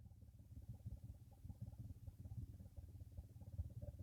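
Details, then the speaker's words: 2016 Nissan Murano cabin blower fan before replacement, run at low speed, where it is much worse than at high speed: an uneven, low fluttering rattle under the airflow at about a hundred beats a minute, from a worn blower motor. "Today we have 2016 Nissan Murano, and it has a really terrible blower fan noise, so I will turn it on."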